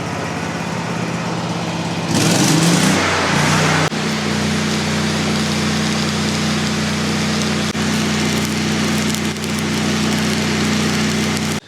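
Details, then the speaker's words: About 30-year-old Miller Bobcat generator welder (250NT/225NT) V-twin running on propane: brief surge then steady high-speed drone that never drops to idle; auto idle not engaging because set up wrong, current sensor to be checked. "I know what I did wrong on the auto idle."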